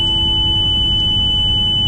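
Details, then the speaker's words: Motorhome with HWH computerized leveling system, engine idling with key in ignition: a steady shrill electronic beeping over the idle and a red dash light, warning that the leveling jacks are still down so the vehicle should not be driven off. "you hear that horrible horrible beeping noise what that means the jacks are down the key is in the ignition the system is trying to prevent you from starting the vehicle and just driving away"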